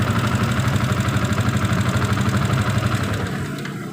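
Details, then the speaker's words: Yamaha Vixion New with a rough-noise complaint, engine idling: a quick, steady tapping about three times a second rides over the exhaust beat. The mechanic suspects the valves, then checks the valves and cam chain; cause unconfirmed. "selanjut cek ke bunyi mesin bunyi ini bunyi seperti klep"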